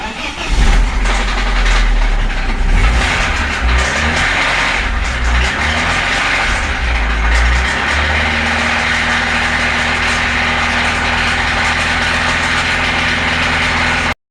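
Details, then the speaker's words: BMW Z3 with a freshly reassembled engine and new timing chain: it cranks, catches and settles to a steady run with a persistent knock underneath, not from the valves but from inside the engine. Engine knock. "As you can hear, the engine is still knocking. That's not the valves, that's not anything else, that's actually the engine."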